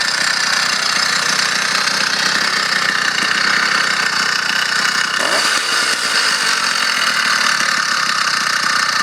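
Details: Motorized bicycle two-stroke engine running fine and strong: buzzy steady run with a tinny metallic rattle from inside the engine over the exhaust note; the origin of the rattle is unknown.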